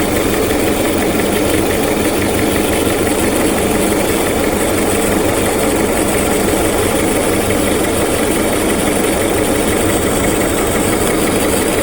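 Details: 2001–2005 Honda Civic LX, strange engine noise when accelerating: dense rattly clatter over a steady idle that never clears, from a worn-out timing belt tensioner.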